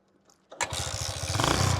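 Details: 27-year-old Hero Honda Splendor Plus, after the spark plug that had been pulled out was refitted: silence, then the single fires at once and settles into a quick, even putter; normal start.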